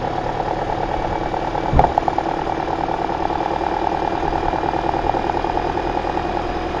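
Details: 2009 Toyota Corolla right after alternator replacement and belt tensioning, started to check whether the earlier hideous noise is gone: steady, even idle hum with no squeal or knock, one brief bump near the start. Normal idle.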